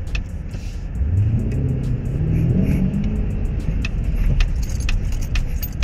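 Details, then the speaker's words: Mercedes-Benz GLS 580, about three months old: sharp dry ticks in quick irregular clusters over low road rumble from the B-pillar area as the front suspension compresses and rebounds over bumps and when entering an underground car park; suspected structural defect. "어떤 느낌이 냐 면 차가 이렇게 움 꿍 하고 밑에 앞에 쇼바가 내려갔다가 다시 원복 될 때 똑딱똑딱 이렇게 됩니다"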